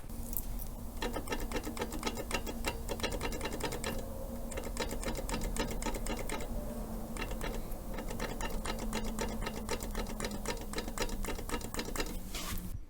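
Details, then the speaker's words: Minsk two-stroke motorcycle engine running, microphone close: a steady, fast metallic knock over the exhaust beat; owner suspects crankshaft clearance or piston pin play, with possible gearbox bearing play also noted; not confirmed. "этот звук связан с тем что либо коленвал что похоже либо зазор либо зазор палец porsche ноу звук неприятными есть такой мотор будет но будет греметь"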